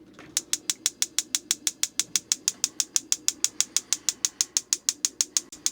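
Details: RV propane line just reinstalled, testing the galley stove: sharp, evenly spaced igniter clicks about three per second while air purges from the gas line before the burner lights.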